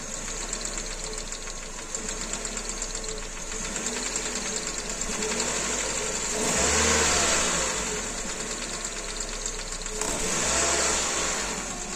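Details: Kia Rio 2 with G4EE engine at idle: rapid light tapping over the idle that quickens with each throttle blip; engine knock from inside, cause undetermined.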